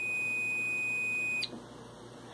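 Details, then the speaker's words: Reed switch (two contacts hermetically sealed in glass tube, normally open) on continuity tester; magnet passed by pulls contacts closed: steady high beep for over a second then cuts off, showing contacts close normally to complete circuit. "the contacts close you can hear the beeping sound indicating that the two contacts have been pulled together they close to make a complete circuit"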